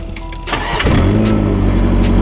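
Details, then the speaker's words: Engine had a no-start after new plugs. The starter whirrs and the engine coughs, then catches briefly into a rough idle. The cause was a fuel pump wired in reverse, starving the engine; reversing the wiring let it run. "Alright, so I might have had the pump reversed. So I'm gonna try this now. There we go. Yeah, I just had the pump in reverse."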